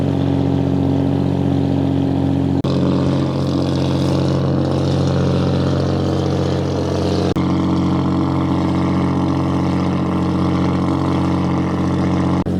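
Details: Restored 1935 Stancraft race boat inboard, the oldest known surviving Stancraft, with race intake manifolds that hold a high idle of about 2,000 rpm; steady, deep, smooth burble with no misses or knocks. Normal high idle.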